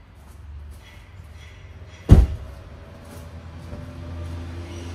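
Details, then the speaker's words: 2014 Subaru Forester, 262,070 miles, just after cleaning carbonized throttle body and new oil filter: single thump then low steady even idle hum, started right away, no misses or engine light; normal idle. "okay start it up just fine let it sit for a minute"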